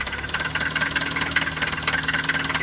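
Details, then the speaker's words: 2003 Toyota Celica started on a jump box at idle: uneven idle with a regular light knock, several taps a second, riding over the engine note; cause not determined. Engine knock at idle. "jump box H up to it start it up knocking a bit on this one"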